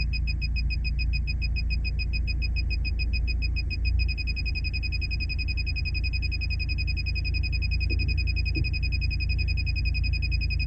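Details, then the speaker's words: 2013 Ford Falcon MK2 with an aftermarket head unit, reversing toward a roller door with sensor assist on: high beeps speed up, then merge into a constant tone near the door. Parking sensors working normally. "as you can hear by that beeping as well, fully active and fully functional."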